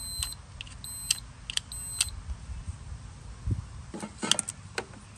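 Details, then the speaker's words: Toro TimeCutter mower seat safety switch on continuity tester: short high beeps come and go irregularly as the rusty switch makes only intermittent contact, suspected cause of the mower shutting off when blades engage or handles move. "so this is a continuity test you hit the beep uh when the circuit is complete I can clean these up a little bit it's not working it's working sometimes"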